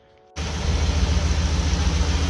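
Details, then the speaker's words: Gen 1 Ford Raptor 6.2L V8 (12th gen F-150) cranked after the Fuse 27 fuel pump relay fuse fix and battery reconnect: fires promptly, settles into steady, even low idle with no misses or knocks; normal start. "If the truck starts over, I guess you done it right, but the sticker makes it official."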